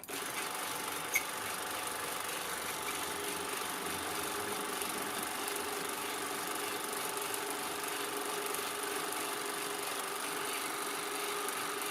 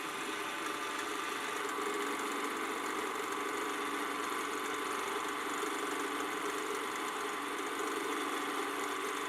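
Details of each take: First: Canon Scoopic 16M 16mm camera, probably unused since the 80s and partly disassembled and repaired, running loaded film; even, fast whir with light steady chatter, no speed wander, film running normally. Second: Canon Scoopic 16M film camera after partial lubrication, running about a minute with take-up reel loaded: whirring motor hum gradually turning lumpy and rougher, bogging slightly; suspected unlubricated spot inside.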